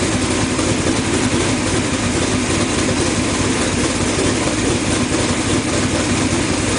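Steady, even idle with a smooth drone and no misses or stumbles; engine running cleanly.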